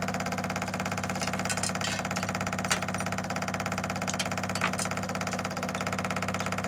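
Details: 1985 Belarus 250AS diesel tractor, revived after sitting 8–10 years, running after a fix attempt: steady even idle clatter, about 200 beats a minute, no misses or surges; normal idle.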